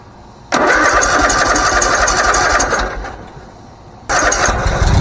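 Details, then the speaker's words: Bobcat zero-turn mower that would only click and not start, after the starter solenoid was replaced and the battery and starter cables reconnected. It cranks briefly, catches at a steady fast putter, drops off, then fires again cleanly: normal engine start. "i'm hoping that you guys saw the first start of this but if not i'll go ahead and show you again so"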